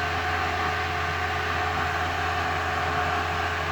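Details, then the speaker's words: Restored VW Thing Eberspacher BN4 gasoline heater at shutdown, fuel pump stopped, fan still blowing: steady low combustion rumble fading under even fan hiss, no popping or surging; flame dying out normally. "You can hear the rumbling going away, which is the fire inside of the combustion chamber."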